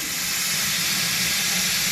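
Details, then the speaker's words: Old Ford truck idling just after restart: steady sharp hiss as pressurised coolant sprays from radiator pinholes over a low idle. Leaks are to be soldered; bigger ones expected in the fins. "I can put a little solder in that pinhole right there. We'll fix that one. The big ones are going to be in the fins."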